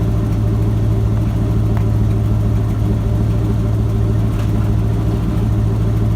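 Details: Ford F-250 with a 7.5L 460 big-block V8 after replacing the starter bypass solenoid for a no-crank, no-start. Deep, even burble with a steady lope and no misses, knocks or stumbles; idles smooth and healthy.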